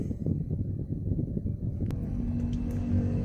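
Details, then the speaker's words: Suzuki Ertiga automatic after replacing the front CV joint boot, stabilizer link and shock support, road test over rough pavement: only tyre rumble and soft road taps, with no clunk or "klek" from the front end. The suspension is now quiet. "Kita dapat polisi tidur suaranya sudah eh sori jalan jalan jelek suaranya sudah anteng ya. Tidak plek gitu."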